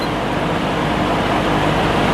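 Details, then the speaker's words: Vintage Penncrest (Lakewood) 50 box fan, 2.25 amp McMillan shaded-pole motor with winged stator, dusty and not yet cleaned or oiled, on high: even air whoosh, smooth low hum, no ticking or rubbing, 2.36 A, 185 W; normal running. "Alright, let's go up to high speed. Came up to speed without a problem. And we're at 2.36 amps, 185 watts."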